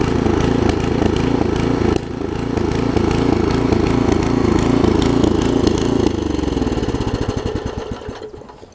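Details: Craftsman 17-inch rear-tine tiller with 5hp horizontal Briggs engine, probably 1990s, runs at a steady, even putter, then slows and dies out at shutdown; runs normally after a new carb diaphragm, though a tiny fuel leak remains.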